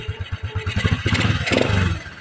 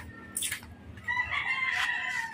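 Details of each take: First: Alpha motorcycle engine idling evenly with steady low thumps and a brief throttle blip after repair; connecting rod, needle bearing, shaft and clutch lining and housing were replaced and all gaskets renewed, curing the earlier very loud engine noise. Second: Honda TMX Alpha motorcycle engine, being worked on, starts and runs very loud with a harsh, clattering run: connecting rod knock from worn bearings; the engine is to be dismantled.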